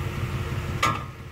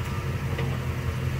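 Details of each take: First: Automatic car parked on an incline by shifting into park before the parking brake: over a low idle rumble, one sharp metallic clunk rings out when shifting into reverse as the loaded parking pawl lets go, harmful to the transmission. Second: Automatic car on a hill, shifted out of park into reverse after the parking brake took the load: steady idle with no clunk, since no strain is on the transmission.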